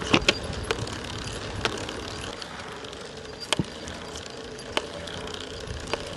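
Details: Shimano EP801 mid-drive e-bike motor, second unit at about 700 km with increased axial play: sharp single crack once per pedal turn as the right crank passes 1 o'clock; same noise as the first motor, cause unconfirmed.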